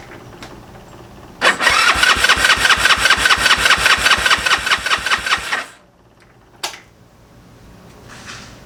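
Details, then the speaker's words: GY6 engine with a 171cc big bore kit in a Honda Ruckus, cranked on choke at first start: the starter turns at about 2.5 turns per second for four seconds and never catches. No spark, caused by stator signal and power wires to the CDI being reversed. "Doesn't sound like I'm getting a spark. 'Cause that should have made it. That should have made it kick over."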